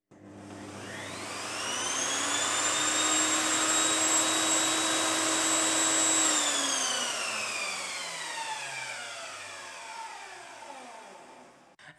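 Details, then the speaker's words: Evolution Rage 5-S table saw after installing a soft start module: motor whine climbs gradually to full speed over about two seconds without the previous violent kick, holds steady, then winds down; smooth soft start. "there you go guys it works absolutely fantastic none of that scary start it all eases in as it should do no scary"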